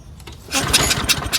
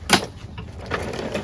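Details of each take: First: Craftsman 22-inch self-propelled mower with Briggs Quantum 6.75: ran on starting spray, then a quick pull-start rasp with a few uneven chuffs that never catch; won't restart without spray, dirty carburetor suspected. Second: Craftsman 22" self-propelled mower with Briggs & Stratton Quantum 6.75 engine after a carburetor clean, blade adapter change and draining 5-6 ounces of overfilled oil: catches quickly, holds a steady even hum with no shake or misses.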